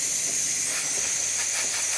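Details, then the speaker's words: DeLonghi Magnifica espresso machine after full service and descaling, steam function tested once heated; audible pumping then strong, steady high-pitched steam hiss, no sputtering; normal steam output. "As you can see, you can hear it pump. Now it's pumping out really good steam."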